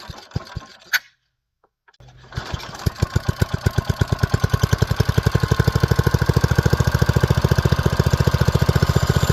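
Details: Old Brister's F1 265E go-kart single-cylinder engine, primed, no air filter, compression release cam makes it hard to start and prone to kickback: after a pull it fires right off and settles into a steady, even beat with no misses; running really good.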